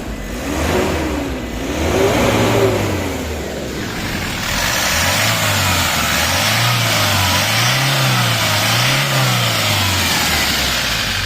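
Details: Hino 200 series truck diesel (title says 2GD, speech says 1GD) that wouldn't start after being parked overnight. After scanning and clearing its fault codes it fires and runs evenly, revs rising and falling smoothly through blips with no misfire or knock; solved.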